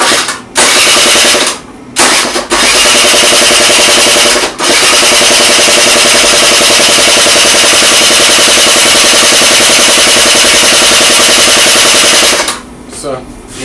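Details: Honda Dio 27 scooter that would not start, after fuel pump replacement: a few cranking bursts, then a high, buzzy two-stroke note settling steady; engine now starts and runs normally.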